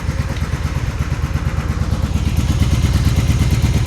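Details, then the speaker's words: 1996 Honda Magna 750, barn-stored about 4 years, just revived after carb work with the throttle screw adjusted, carb leaking fuel. Uneven loping idle with irregular pops: one cylinder misfiring, which one unknown. Owner thinks it needs running through. "I'm misfiring on one of the cylinders. I don't know which one, but it sounds like it needs to be just run through a little bit. You can hear it popping."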